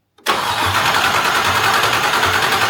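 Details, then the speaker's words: Land Rover Discovery 2 LS-swapped engine, fuel pressure gauge on fuel rail Schrader valve reading zero: starter whirs steadily with a slow regular compression pulse, never fires; crank, no start, no fuel pressure, fuel pump likely unpowered. "Well, there's our problem. There's no fuel. That means probably the fuel pump isn't powered, isn't pumping."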